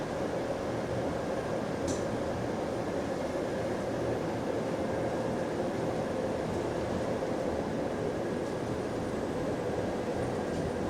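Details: Recorded on a GAL EBD67 bus on route SL4 after the creaking suspension was fixed: steady road and drivetrain rumble with no rhythmic creaks or groans over bumps. The suspension is normal.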